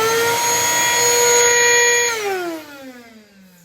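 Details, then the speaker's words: Mirka 1025L vacuum with excessive turbine vibration and loud noise: motor screams at a steady high pitch, then is switched off and winds down; brushes show no short but heavy wear, turbine cleaning planned. "Boa tarde, amigo pintor. Vamos analisar esse aspirador da Mirca 1025 que está com uma vibração"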